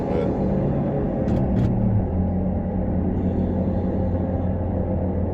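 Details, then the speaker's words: 2013 Dodge Dart with ABS and traction control lights, needing front left and rear right wheel bearings: a steady low droning hum under road noise while cruising, sounding horrible; worn wheel bearings. "You hear it? Yeah, it sounds horrible. I hope you guys can hear it because it sounds horrible."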